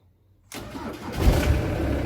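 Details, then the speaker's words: Ford Transit 115 350T RWD diesel van in neutral, booster pack connected directly to the battery under the driver's seat: a brief crank catches at once and settles into a steady diesel idle, a clean first-time start. "you see now if someone could explain that to me disconnect yeah if someone could explain to me why if i connect it directly to the battery it works first time but i gotta get the bloody chair off to do that it's a bit of a pain"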